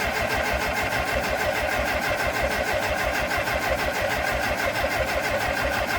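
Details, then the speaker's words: Late-1950s Minneapolis Moline 445 tractor with rebuilt Marvel Schebler TSX-633 carburetor: even, steady cranking that never catches. Strong spark confirmed and compression sounds even, so a fueling issue is suspected. "sounds like it's got good compression to me sounds nice and even so I'm going to say it's probably a fueling [Applause] issue"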